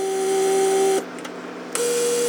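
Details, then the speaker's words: Mercedes central door-lock vacuum pump tested with the line closed only by finger, not sealed: small pump whine cuts out under a second then restarts, never shuts off; vacuum leak keeps pump cycling. "you see how pump cycles never stops because I just closed it with my finger it's not sealed"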